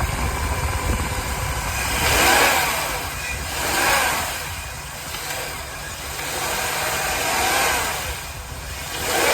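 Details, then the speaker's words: Jaguar X308 XJ8 4.0 V8 automatic after replacing a split serpentine belt; engine blipped a few times, revving cleanly and settling back with no belt squeal or chirp; normal revving. "That's all it's all sweet as a nut now. Just rev it up a little bit and see."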